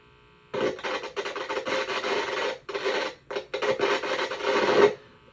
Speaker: That's the noise. This is a noisy resistor. Same thing with caps.